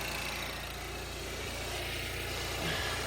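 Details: Manual car with DV6 diesel after broken timing belt repair with new camshaft and rockers, wheels off ground and brake held to stop wheel arch scraping: quiet steady even idle, no knocks or scraping; runs healthy, normal idle.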